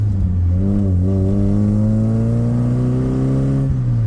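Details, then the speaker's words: 1984 Dodge Omni GLH after fuel work to cure a lean knock: engine pulls cleanly under hard throttle as revs climb, with no pinging or rattle; knock appears gone. "I actually think it's gone. I didn't hear it pinging like it normally would."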